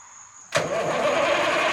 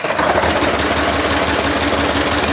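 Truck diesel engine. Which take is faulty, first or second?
first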